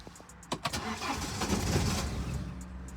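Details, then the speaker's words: 2009 BMW 118d diesel, broken down before eBay sale: starter churns with uneven chugging but never catches; cranks, won't start; owner suspects cylinder 2 injector fault (code shown), not confirmed. "I've just texted him say mate the car's not starting and I sent him a video of it not starting"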